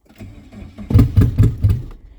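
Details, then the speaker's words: Chevy Tracker 4x4 cranking steadily without catching after a fuel pump install; the engine may not have run in a long time and some gaskets are off, so it will be loud; the pump was heard coming on; long cranking before start. "yeah she's gonna fire [Music] maybe it's been a long time since she ran"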